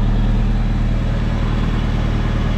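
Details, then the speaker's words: Nissan 300ZX with KA24DE idles steady and even with a smooth low rumble on its new fabricated dual-exit exhaust, fitted without gaskets. No ticking or puffing at the joint, no exhaust leak: normal idle. "au moins nous avons un échappement complet maintenant et j'espère que c'est calme"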